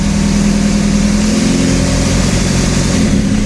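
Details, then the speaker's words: TDI diesel-swapped Toyota Tacoma, first run, truck lifted, idling in second gear at about 10 mph on the speedo: even steady diesel idle with constant low hum, no misses or knocks; sounds healthy. "there we go got her second gear idling 10 miles an hour i guess the other tire's moving not that one but it is in gear and moving so"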